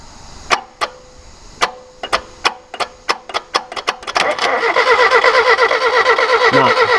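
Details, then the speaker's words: Crank-no-start on a just-bought Ford KE TX3 Turbo with a B6T twin cam, front-wheel-drive manual. Plug pulled to check: no spark. Slow starter bursts, then steady cranking with no firing. It has power and dash lights; something behind is likely not connected. "no spark all right it's a nice bug so there's something else has to be joined up behind there he's got power but he's got to put he's got dash lights"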